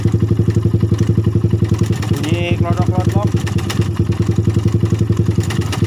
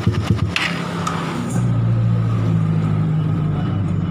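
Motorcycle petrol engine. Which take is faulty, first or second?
first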